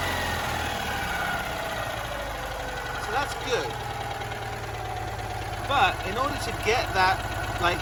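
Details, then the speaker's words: Citroen 2CV idling after inlet manifold sealed with duct tape and vacuum-tested, good air-fuel ratio and voltage, rich idle: small twin thrums evenly with crisp throttle blips, no misfire or knocking; normal running. "oh looky here we have a car that's idling i can actually hear the engine sound for once"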